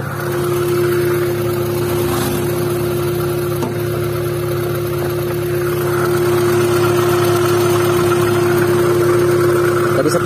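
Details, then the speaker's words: First-generation Honda Brio idling with AC on: loud steady drone over the engine once the AC compressor engages, coming from the compressor; silent when AC is turned off. "Begitu kompresor AC berputar, suaranya akan berisik seperti itu. Suara bising itu berasal dari kompresor."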